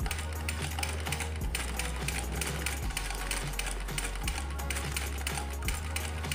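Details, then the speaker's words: Domestic sewing machine after straightening a bent rotary pusher. It stitches smoothly and fairly quietly, with a low motor hum and quick, even ticking. The bottom thread no longer bunches. "nah seperti ini ini kita yang ujung ini sangat bagus suaranya juga tidak begitu berisik mesinnya hasilnya juga sangat bagus tidak menggumpal"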